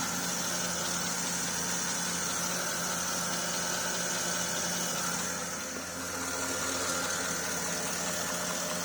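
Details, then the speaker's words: Porsche Cayenne S at idle after a second-hand steering rack replaced the leaking rack: the steering is turned with no power-steering pump whine or groan and no leak. "okay just started up now cars running now i can turn the steering wheel no noise there's no leak from the actual pipes"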